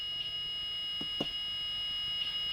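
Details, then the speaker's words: Blue Bird school bus with Allison transmission stuck in second gear, new transmission control module installed but not yet programmed, check transmission light still on: steady high-pitched electronic buzz throughout. Warning buzzer from unprogrammed transmission control module. "so the buzzing sound that you hear is because of the TCM that's not programmed yet because the check transmission light didn't go off"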